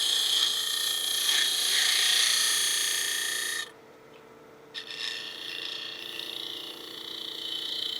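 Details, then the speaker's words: Lathe turning an aspen bead and cove stick with a gouge: shrill cutting hiss with a light regular tick about four times a second as the tool passes a knot in the wood. "You hear that knot again, a little tick, tick, tick."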